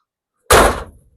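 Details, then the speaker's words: 1977 Chevrolet El Camino found in a barn: a single solid thunk as the door latches gently and shuts cleanly, followed by a faint rattle of loose rust falling inside the rotted bottom of the door. "We want to show you shutting the door because man, I can't believe how nice this door shuts. It kind of shows you how good this car still really is."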